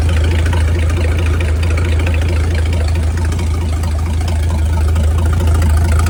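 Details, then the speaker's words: Mid-1950s Chris-Craft Model W (marinized Hercules WXLD) engine, after overhaul following an oil-pressure-loss failure, test run after repair: deep steady low rumble with an even beat, no knocks or misses; normal running. "Oh, here's the old W up water tour. Going to let it run for a while. Make sure there's no issues."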